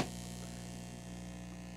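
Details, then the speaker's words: Budget tube preamp kit driving a class D amp, idle with no music: steady mains hum at mid volume, raspy buzzy hum at other settings; likely power-supply noise coupling into the inputs. "okay you hear that hum at mid volume you get that raspy buzzy hum at other settings you kind of get a power supply hum so probably uh coupling power supply noise over on the inputs or something"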